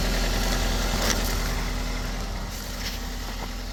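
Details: Toyota with Aisin MMT robotised gearbox after replacing 3rd/4th synchroniser and adding shims under gears, fixing knocking and crunching in 3rd and 4th: steady, even low idle, smooth unbroken beat, no knocking or crunching.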